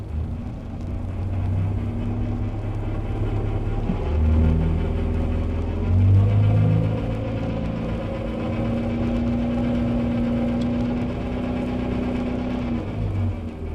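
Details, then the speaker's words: Recording from 1964 for classic cars: gearbox with worn or broken teeth on first and third gears; engine drone with uneven knocking about four per second and a whine shifting with speed; repairable, though labour cost may be high. "The first in a gearbox with worn or broken teeth on first and third gears."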